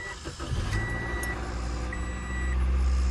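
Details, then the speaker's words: Nissan 300ZX started after a low battery reading about 10 V was put on a booster box and trickle charge: brief crank, then it catches and settles into a steady but very high idle with a faint beeping over it. "Everything sounds good. It's just running very high."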